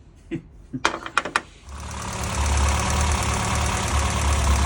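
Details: Classic Mini petrol engine after new coil, new plugs gapped at 35 thou and the mixture screw leaned a turn and a quarter (plugs were black, very rich): after a few cranks it settles into a slightly uneven, lumpy idle.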